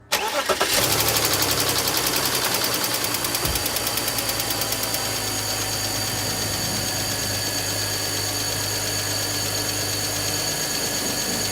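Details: BMW high-mileage engine at startup: fast metallic rattle and ticking fading after a few seconds into steady idle, caused by a failing timing chain tensioner; replacing its spring removed the ticking.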